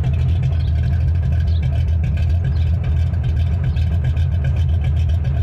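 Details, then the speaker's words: Cammed truck engine (Vortec) after installing and tuning a new Summit Racing Max Performance carburetor: deep, loping, choppy idle of a big cam, steady and settled, running cleanly. "sounds like it has a bit of a more wilder cam [Music] [Music] so yeah that is world's difference that is a big difference"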